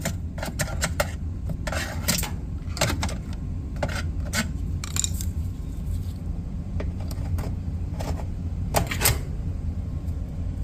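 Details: Samsung dryer running with a low steady drum rumble and scattered light rattles and clicks as it turns; noisy dryer, cause unclear.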